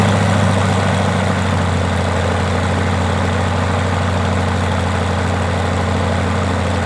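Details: Rotec R2800 radial engine on an Aerolab LoCamp, chocked, first run after years of storage: smooth, even low drone with steady beat, no misses or knocks; started readily and runs cleanly and healthy.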